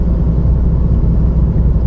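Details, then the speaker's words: 2011-2018 Ford Focus, two-wheel drive, while driving: steady low droning rumble with road noise from the rear driver side; worn rear hub bearing confirmed, which also flat-spotted the tire; rear hub replaced. "I don't know if you can hear the rumbling the rumbling and the road noise is where it's coming from and it's that rear driver side"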